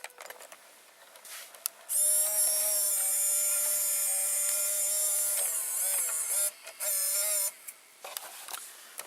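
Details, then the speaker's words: JVC GR-AX33 VHS-C camcorder with tape inserted: high even loading motor whine about 3.5 s then two short whirs as tape loads cleanly onto the head drum; mechanism works, though picture and VCR buttons don't. "as you can hear it just loaded the tape on the head"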